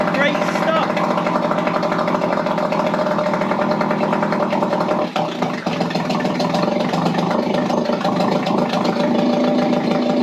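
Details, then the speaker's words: Mercury 3.3hp two-stroke outboard, stood for several months, running in neutral in a water bucket: steady, even idle with no misses or knocks; healthy, left to run the carburetor dry. "that's one healthy little engine so i'm surprised that went that well"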